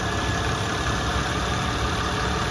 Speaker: The engine sounds nice and quiet. So just make sure you get close to it and listen to it.